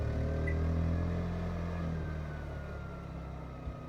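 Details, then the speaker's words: 3700 W RV generator starting a Coleman Mach 15 15,000 BTU air conditioner with a Supco SPP6 hard start capacitor, owner unsure whether the capacitor helps or hurts: steady drone holds, then sags and fades as load comes on; generator struggling with the start and later needs restarting. "so I turn the AC back on and um as soon as we hear the fan come on and the generator ramp up I'm going to show you guys the voltage here"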